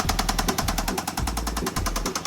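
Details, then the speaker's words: 2008 BMW E60 with manual gearbox, auction buy, first start: loud, sharp, even knocking at idle, about eight or nine hits a second, heavy internal engine knock; it also seems to smoke, no check-engine light. Cause suspected, not confirmed. "Ну що ж, а моторчик то у нас стучить. Що це стучить?"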